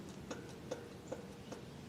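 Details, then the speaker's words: 2007 Dodge Durango front wheel that pulls right over interstate bumps, tie rod ends okay: faint sharp clicks about every 0.4 seconds as the wheel is rocked by hand; play from a worn hub bearing. "and it's got some wiggle to it you can also grab it top and bottom it's a lot more movement"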